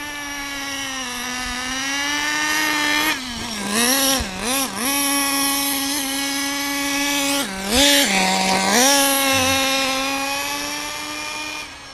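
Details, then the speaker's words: Small nitro RC truck ("Stink Bug") running in cold weather holds a high buzzing rev and only dips briefly instead of returning to idle: sticking throttle; also bogs at top end, owner says high-speed needle needs opening for the cold. "My throttle's sticking."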